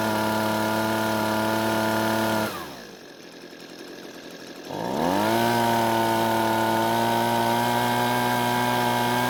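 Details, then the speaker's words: Husqvarna blower that started one day but not the next and stopped without trigger input; after turning the carburetor L (low-speed) screw a quarter turn counterclockwise, steady high buzz drops to smooth idle and revs cleanly back to full speed, now running well. "so it looks like the blower is working a lot better and it turns out the car but didn't need too much adjusting to get it back to where it needed to be"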